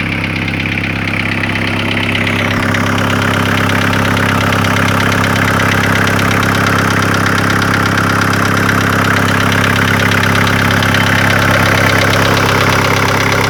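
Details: VW T4 1.9 TD ABL diesel at idle: fast, regular tapping about three per second. It began after a sheared crank sprocket bolt let pistons hit valves and all valves were replaced. Service suspected hydraulic lifters or injectors; the knock persists after a replacement cylinder head.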